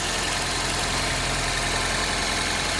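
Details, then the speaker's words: Cold 1995 Geo Prizm engine idling high to stay alive during a vacuum test with a handheld gauge at the intake: steady, slightly raised idle with a faint irregular pulse, no knocks, prone to stalling; vacuum needle vibrating 16–17 inHg at about 4,500 ft elevation. "Alright, it's gonna stay alive for a sec because it's really cool and it's idling high to keep itself alive."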